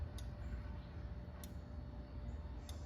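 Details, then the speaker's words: Fantech dryer booster fan after 6 years: pressure switch clicks three times as the exhaust hose is pulled and replugged, but the fan motor does not start; unclear whether the switch or the fan unit is faulty. "So, uh, my pressure switch has engaged, but, uh, it's not starting the motor."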